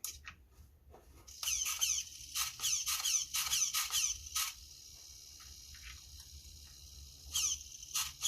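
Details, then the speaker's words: HPI Savage 4.6 nitro RC truck bought for parts, powered up on the controller: high thin squeaks in quick uneven bursts, a couple per second; throttle servo suspected to be wearing out, not confirmed. "Sounds like the throttle servo is going to go soonish."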